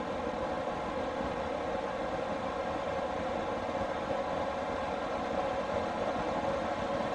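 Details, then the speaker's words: Newly installed diesel air heater in a skoolie bus, after startup: an even, steady rushing whoosh with a constant hum underneath and no surging or ticking, blowing lots of heat. Normal running at full fan. "You can hear it going a little faster. Wait for it, the jet's about to take off. It gets worse."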